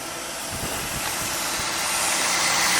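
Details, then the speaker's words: 2004 Cadillac DeVille V8 idling with the battery positive terminal disconnected: smooth, even idle with steady belt and fan whir, no stumbles or knocks; engine keeps running on the alternator alone, so the alternator is good. "Car is still on, see? It's running. You see the fan belt moving? I think it's safe to say that this car does not have an alternator problem."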